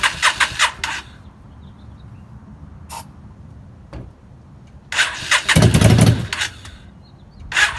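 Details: 2003 Yamaha V-Star 650 with single Keihin butterfly carburetor: starter cranks in short bursts with quiet gaps, the engine spins but never catches; it fires only on starting fluid.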